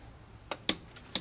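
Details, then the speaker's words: Bicycle crank centre bolt checked with torque wrench set to about 40 Nm: three sharp quick clicks in a quiet room, wrench breaking over straight away, so the bolt is at least at torque. "healthy torque this one clicked right away this bolt is at least 40 if it's over 40 the bike hasn't failed"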